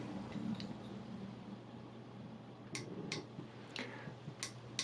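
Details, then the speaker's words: Hikvision DS-2CD2042WD-I IR bullet camera that lost settings after power cuts; after freeing a trapped wire, the reset button gives a few crisp clicks about a second apart, feeling completely different than before. Normal reset button click. "don't know if you can hear that click, but I can, and I can also feel it. That feels completely different to how the camera did before, so I'm really hopeful that this is going to have fixed it."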